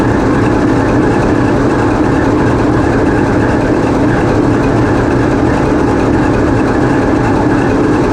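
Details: TEP70 0237 passenger diesel locomotive on run-in trials after repair, GoPro in the diesel engine room: loud, even roar with a steady low beat and no knocks or grinding; big diesel running healthy.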